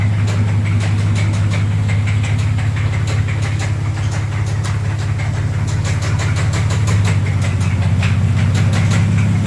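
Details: 2004 Dodge Dakota 3.7 V6 idling with a loud, regular metallic rod knock about three times a second; began hours after a shop repaired it following a minor wreck, with oil pressure dropping very low; running 10W30 full synthetic.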